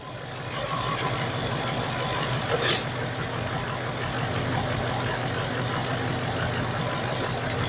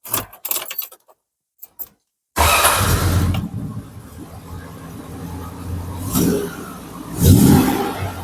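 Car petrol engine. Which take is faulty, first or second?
first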